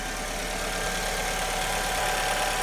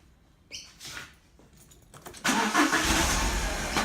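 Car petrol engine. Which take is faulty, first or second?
second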